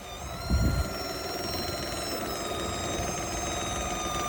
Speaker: Customer states, what the hell is screaming from under my hood?